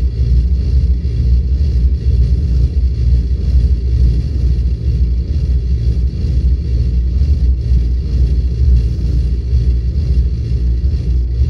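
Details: Volvo 8700 bus diesel with ZF Ecomat automatic that won't engage neutral at idle: deep, uneven rumble dragged to very low revs, gearbox staying in drive and nearly stalling the engine.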